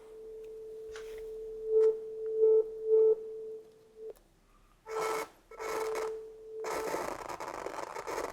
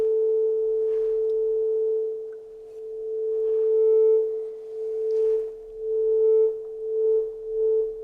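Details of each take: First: Channel two gain pot of a 30-year-old Soundtracs Jade 32 analog console: steady test tone broken by scratchy crackling bursts on first turn, easing after turning to max and back; dirty pot. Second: Channel two of a 30-year-old Soundtracs Jade 32 analog console: steady test tone swells and fades smoothly as the gain pot turns, no crackle; pot clean, though levels differ and need calibration.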